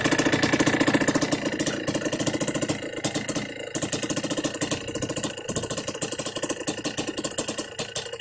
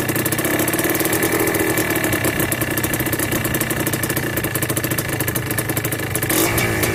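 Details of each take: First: Yamaha Blaster 200cc two-stroke ATV with FMF pipe, after needle change, clip and pilot screw richer adjustment: crisp even idle popping about three to four beats a second, no stumbling; normal idle. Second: Yamaha Blaster 200cc two-stroke with FMF pipe, warmed up after carb needle, clip and pilot air screw tuning: rapid pops that sag and stumble slightly; idle speed too low and to be raised at the idle screw.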